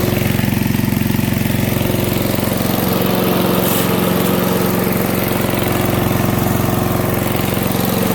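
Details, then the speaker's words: MTD 5 hp single-cylinder chipper/shredder, owner guesses 1990s-built, running after a carburetor kit replaced the bad carb: steady, even at working speed while feeding material, no misfire or knock; normal running under load. "making pretty quick work of this pile here but it is work so it's an mtd five horse chipper shredder"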